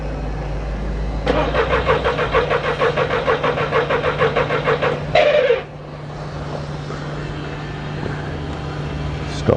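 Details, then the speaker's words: 2002 VW Polo 1.2 three-cylinder AZQ petrol: starter cranks evenly at three-plus beats a second for about four seconds, never fires; coils not triggered, no current flow to coil. "so basically the coils not being triggered we've got no current flow through to the coil"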